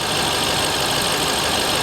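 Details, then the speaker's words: Dodge Ram SRT-10 with Viper V10 at idle; check engine lights on; smooth, even idle behind hiss, no knocks, ticks or misses; sounds real good. "It actually sounds good. Listen to that. She sounds real good."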